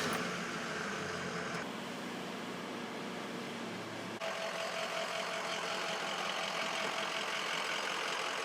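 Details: 2004 Ford F350 6.0L Powerstroke diesel, first start after replacing the leaking EGR gaskets and purging air from the fuel system: it idles steadily with its usual light clatter and no odd knocks or hisses.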